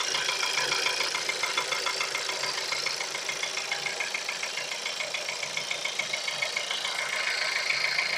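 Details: Sharp, even ticking at about 140 a minute rides over a cold idle; a light cold-start knock whose cause can't be pinned by ear.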